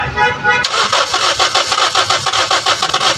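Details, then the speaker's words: Toyota Vios that suddenly died while driving: starter cranks steadily but the engine never fires, even after a fuel pump assembly replacement. "Dong gagawin ngayon itong Toyota Vius bigla na lang tumerik sa daan biglang namatay yung makina while driving."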